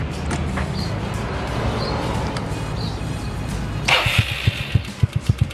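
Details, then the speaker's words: Yamaha Nouvo MX on a long ride from Jakarta, stopped at Pekalongan to cool the engine: loud, diesel-like top-end ticking, sharp regular clunks about four a second over a rough idle; engine growing rougher since Cirebon, owner suspects cam chain or camshaft, cause unknown. "Tuh, bunyinya kenceng kan? Kenceng banget kan? Gila kan?"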